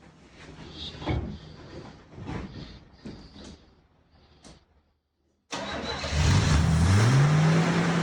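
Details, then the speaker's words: 1976 Chevy C10 six-cylinder farm truck, sat for years, started with starting fluid: after clicking it catches on first crank and settles into a slightly uneven idle; vacuum lines are off, causing vacuum leaks, but it runs. "Got some vacuum leaks, but Yeah, it does have some vacuum lines off it, some other little stuff, and she will run."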